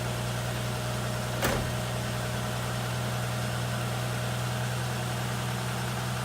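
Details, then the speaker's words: 1960 XK Ford Falcon on its first start in about 12 months: smooth, even low idle hum with one brief click early on, a healthy idle. Fuel was found dripping from the carburetor right after starting. "you go folks that's the first start in about 12 months on this 1960 talkin and just listen to that engine using that sway"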